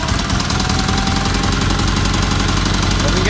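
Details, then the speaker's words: Red Roper with BFM small twin engine, solid-lifter flat-tappet cams with valves set at 0.008 in intake: steady idle with light, quick, even valve ticking; normal clatter for these engines. "sounds good you can hear the valves ticking they all do that that's because they had salt lifter cams"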